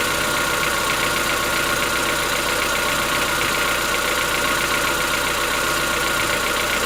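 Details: Chevrolet Onix 1.4, 2014-15, petrol, cold-start idle: steady light ticking with high-frequency clatter, no load change. Present since 0 km, lasts about 10 minutes, worsening yearly. Owner suspects a tappet or other internal knock, not injectors; dealers say it is characteristic.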